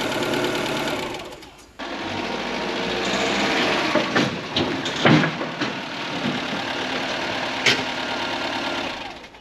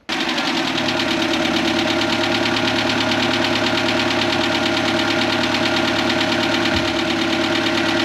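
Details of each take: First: Ford Fiesta Mk4 1.3L Endura petrol, off the road since 2019, first service in years: fast, busy ticking clatter from the top end at idle, noisy tappets from excessive valve clearance, to be adjusted. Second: Ford Fiesta Mk4 1.3L Endura petrol, laid up since 2019, after full service and tappet adjustment: steady, even idle with only a light, quick valve-train tick; tappets now much quieter; slow restart was due to an empty fuel filter.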